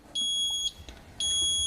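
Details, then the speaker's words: Fisher & Paykel MW511 washing machine beeping error code 130 after filling: two long high-pitched beeps about a second apart in a quiet room, code shown on display, triggered quicker by turning it; fault alarm. "so it usually happens a bit quicker if I just turn this so now it's beefing with the error code displayed across here"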